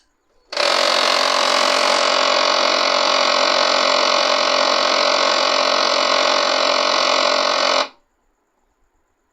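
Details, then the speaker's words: HP LaserJet M1005 MFP printer makes a loud, harsh, steady humming buzz that is especially loud when it initializes after power-on, running about seven seconds; the cause is a worn main motor. "ये भयंकर हैमिंग की आवाज़ कर रहा है और ये जब इनिशियलाइज होता है उस समय बहुत तेज़ आवाज़ करता है।"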